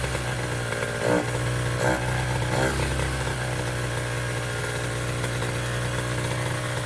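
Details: Piaggio Zip SP race scooter two-stroke on first start after restoration: buzzes along at a steady idle with a couple of brief blips and no knocks or rattles; healthy.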